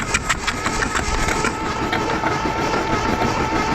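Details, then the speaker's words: 1982 Dodge Charger 2.2 non-interference engine, unregistered since 1990, cranked with spark plugs out: steady, even starter whir about six soft pulses a second, no knock or binding; engine spins freely. "So I'm just gonna hit the key and see what happens. Okay, nothing happens. Oh. There it goes."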